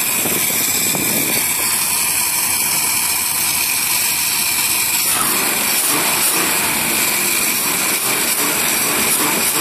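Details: Marlin Roadster engine test after reconnecting a disconnected pipe that had caused a whine; revs up and settles to idle with a clean, even note, whine gone; normal engine running after repair.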